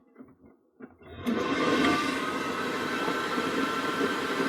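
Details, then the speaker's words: Gas boiler, combustion case off, fan speed connector pulled: after a quiet second the fan spins up into a steady, even airy whoosh and keeps running; buzzing heard, no visible fault, fan or PCB doubted. "no, so the fan still runs there. Okay, so the fan is still running, and things I can't see any sort of signs of fault with the fan, but I can hear a buzzing noise from there."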